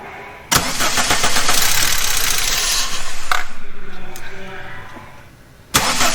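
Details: Mk3 Volkswagen with 2.0 ABA engine, 5-speed manual, previously not running: cranks, catches and runs a few seconds, then sags and dies before cranking and catching again; stalls after starting, cause unclear, spark and injector feed being tested.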